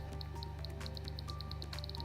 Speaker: press the on/off button then the emission button you will hear a continuous clicking sound